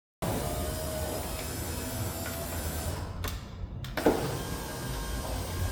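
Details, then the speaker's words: VW Sharan 7N front left window regulator replacement, final test runs with glass reinstalled before reassembly: steady even motor hum as the glass travels, soft stop at end; regulator runs smoothly. "here are the final test runs before I continue to put everything back together. Check that everything works smooth and you're good to go."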